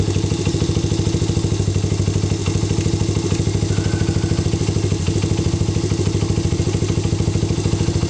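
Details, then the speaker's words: Honda CRF/XR 80/100 at warm idle before cam chain adjustment: a light, loose clatter on every firing beat from the slack timing chain slapping. "start my engine and warm it up a minute and you can hear some of the little bit of timing chain slap"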